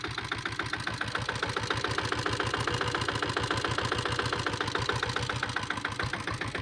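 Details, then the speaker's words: 2000-model Taurus diesel motorcycle, factory diesel: crisp, even thump at about three and a half beats per second holding a steady rhythm throughout. Healthy single-cylinder idle; owner says the engine condition is good. "வண்டி engine condition பார்த்துக்கோங்க. Engine condition எல்லாமே நல்லாயிருக்கும்."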